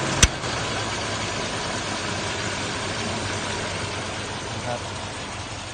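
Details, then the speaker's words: Mazda 1300 5-speed, 1991 (BE 2534), idling after easy start: a click, then the AC compressor engages and the idle stays steady, quiet and even; normal idle with AC running. "อ่าเดี๋ยวจะเปิดแอร์นะครับจะได้ยินเสียงคอเทำงานนะ"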